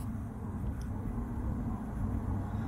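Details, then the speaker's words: Diesel heater after disassembly and cleaning (soot suspected, clogged atomizer screen likely the real cause), pump just started: steady full low roar from the burner, quieter than before, no popping or surging; normal running. "now it's going full but that's that's normal that's supposed to be like that just not as loud as it was before"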